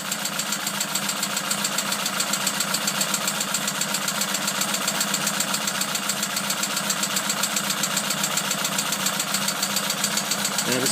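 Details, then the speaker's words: Opel Kadett B OHV 1.2 S engine, tuned with higher compression and camshaft, original carburettor refitted instead of Weber; even metallic ticking-knock about four per second at idle, locked to engine speed, owner suspects from below; unconfirmed. "so mit ein bisschen Hilfe von einer netten Dame habe ich das wieder hingekriegt aber jetzt habe ich Verdacht dass das Geräusch von unten kommt"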